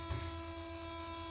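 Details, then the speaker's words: Mercedes SLK230, key on engine off: faint, steady low electrical hum with thin buzzing tones from the other side after the first unit shut off; owner unsure if it is a coolant pump; continues until car is turned off or started. "But as you can hear, I'm still getting a secondary hum over here on this side as well. I'm not sure if that's a coolant pump"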